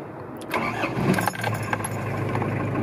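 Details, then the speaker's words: 1991 Mazda Bongo 4WD turbo diesel cold start after waiting for the glow plug light: a brief crank, it catches at once and settles into a steady, even clatter with no smoke; healthy start. "and it just starts up that easy every single time we'll walk around here a little bit with the engine running so you can hear it but it runs absolutely fantastically strong absolutely no smoke"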